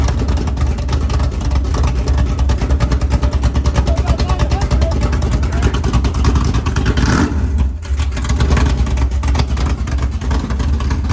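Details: 500ci big-block Mopar 440 (built by Indy Cylinder Heads) in a 1969 Barracuda, first fire-up in the car: choppy, uneven big-cam idle around 1100 rpm, steady and strong; healthy cammed V8.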